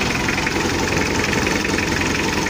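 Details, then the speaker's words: Mitsubishi L300 diesel with free-flow exhaust, mid-restoration, owner complaining of weak power: loud lumpy, unsteady idle with engine shaking; mechanic suspects the timing belt, and the injection pump was found badly worn inside; rotor head later upgraded to 12mm. "Ini kita lihat untuk mesinnya ini pincang dan goyang saya curiga ini timing Belnya ada kendala"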